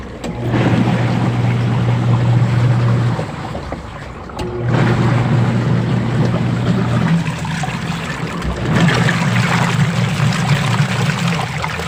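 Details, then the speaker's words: Old Sharp single-tub washing machine, nearly discarded, revived after opening drain and cleaning rubber, motor found still good, timer turned on: low motor hum runs, pauses, reverses direction with water sloshing; normal agitation. "Ayan guys, so ayan, napagana ko na yung muntik ng itapon na washing machine. So old washing machine na single tab po yan."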